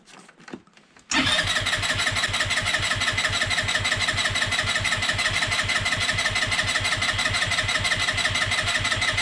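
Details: Peugeot Django 125 scooter after fitting a replacement carburettor for hard starting and poor running: fast even starter whirr at about three beats per second, steady and unbroken, engine not catching; cranking without starting.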